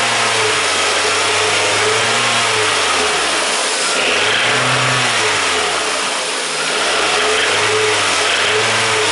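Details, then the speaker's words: Toyota VVT-i engine (2001–2018 family) with bearing failure; runs well at idle, but with more revs a light hammering knock creeps in and rises with speed: connecting rod bearing knock. "Okay, and now engine is running well, but then when I accelerate a little bit more, this engine starts to keep that bad sound. Listen. In that area I can add more revs and soon we can hear small hammering sound."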